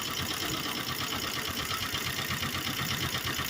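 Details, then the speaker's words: 1951 Willys CJ3A misfire: lumpy, loping idle with a skipping beat about three pulses a second; shorting plugs 1 and 2 slows the engine, but 3 and 4 spark without slowing it; compression good, valves set, cause unknown. "number three is got a spark but it doesn't slow it down number four got a big spark but it doesn't slow the engine down"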